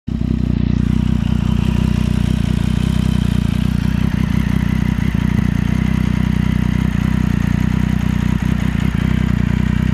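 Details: Triumph Street Triple 675 2014 motorcycle at about 13,500 km, under warranty; steady low drone with loose clattery tapping about four a second, growing louder over time and worse when hot; abnormal engine noise, owner fears counter balance shaft damage.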